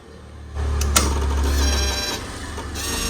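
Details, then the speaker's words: 2004 Yamaha V-Max at ignition key-on: the V-boost servo motor whirs for about a second and a half, then stops. Normal V-boost servo operation. "that's a little motor on the v boost moving when i turn the ignition on"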